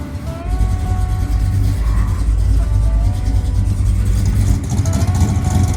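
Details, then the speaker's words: 1968 Chevy Biscayne, 71k miles, 388ci small-block V8, 200-4R overdrive, 3.73 posi, new headers, no header leak: on-road drive after leaning idle mixture and lowering idle speed, deep even rumble pulling smoothly, cam sounds better, sharper throttle response, running healthy. "After leaning out the idle mixture a little bit and turning the idle speed down, the camshaft sounds much better and the car goes into gear much easier."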